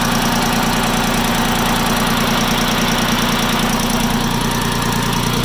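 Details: Farm Pro 2425 diesel tractor that develops a knock 5–10 minutes after a cold start: loud idle with a dull, fairly regular knock about two to three per second under the clatter; warm-engine knock, cause unknown.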